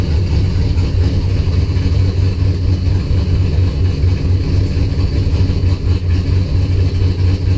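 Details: Engine after spark restored by moving loom wiring; fuel pressure 50 after prime, over 60 during prime, running really rich and sneezing fuel; low idle lopes and stumbles about twice a second after failed start; rough idle.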